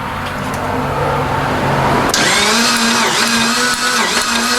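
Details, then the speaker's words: 1992 Dodge Stealth R/T that sat semi-abandoned, cranking steadily at about three to four turns a second with no firing. There is spark, but the fuel injectors are not pulsing. "back again we got spark we don't have uh pulse fuel injectors are not firing"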